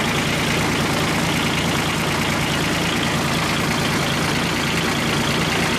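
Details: Kubota G1800 tractor diesel, rebuilt engine back in tractor after about 2 hours mowing: steady even clatter at constant speed, no knocks, misses or surging; running good.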